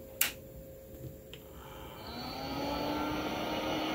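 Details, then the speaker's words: Compaq Deskpro 286e retro PC at first power-on smoke test; a couple of clicks then a low steady power supply fan hum with no grinding or rattling, sounding healthy. "sounds good [Music] nothing is grinding nothing is rattling"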